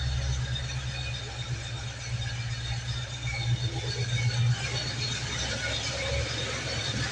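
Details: 1975 Ford F150 351M V8 (bored 30 over) after replacing broken valve spring on number 3 cylinder and fresh valve cover gasket: steady low idle with even beat, no skip or stumble, oil pressure good; running clean on all cylinders.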